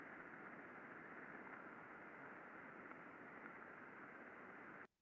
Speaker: 5sec recording very smooth very quiet no problem found second bearing very smooth very quiet nothing really going on here